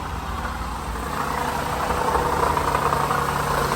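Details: 2008 Toyota Highlander 3.5 at idle before water pump replacement: steady dry whirring rumble over the engine, from the worn rear water pump bearing.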